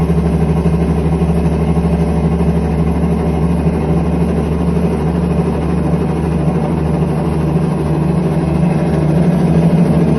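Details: IPSO commercial washer: steady, heavy low rumble with no knocks or squeal, a constant roar from bad drum bearings.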